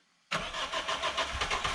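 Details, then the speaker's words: Daihatsu soft-roader abandoned for three years, now with a replacement wrecking-yard engine, fuel pump primed at accessory position: silence, then it catches instantly and settles into a steady, even idle with no misses; a normal start. "Holy crap. It runs, Ruby. Your car runs."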